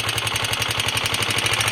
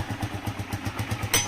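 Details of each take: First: DM 125 single-cylinder motorcycle at idle just after starting: a loud, hard knock about four times a second; owner thought tappets, but it was too loud for tappets and was traced to a worn piston slapping. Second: DM125 single-cylinder motorcycle after repair of loud engine noise caused by worn piston: even steady low pulse about six beats a second at idle, no heavy knock; noise gone, running healthy.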